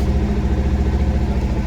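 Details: Bajaj Pulsar BS6 motorcycle idling in neutral after a fault where it stalled when put into gear, side stand sensor suspected. Even, quick exhaust beat at a steady idle with no hunting or stalling; normal idle.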